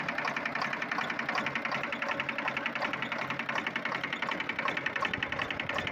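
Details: Volvo TWD121 six-cylinder turbocharged stationary diesel running steadily with a sharp, regular tick-knock about 160 a minute over the engine note; intake valve knock, fixed by replacing one intake valve and gasket set.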